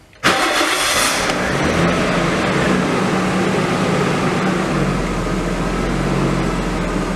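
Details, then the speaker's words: Stock Nissan RB25DET, after fitting a blow-through MAF, with stock exhaust and reworked downpipe; boost gauge reads about 9 at idle. Cranks, catches quickly and settles to a smooth, quiet, steady idle that no longer hunts up and down; normal idle. "Exhaust is quiet, so that's good. All that work on the exhaust, the downpipe, seems to have paid off. It seems to be idling great."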